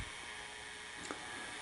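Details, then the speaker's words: RCA VKT 650 VHS VCR after power supply capacitor replacement, temporary rubber band in place of failed belt; light even whir spinning up with no squeal, slipping or chatter, playing normally. "so let's give it a try all right play oh hey there it goes she's playing"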